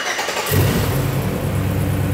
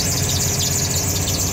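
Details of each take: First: beautiful. No noise whatsoever. We are good. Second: LS-swapped Mercedes, first start after fitting corrected throttle body: high steady shrill squeal over the idle right after startup, from the worn serpentine belt and tensioner, which were squeaking before and are due for replacement.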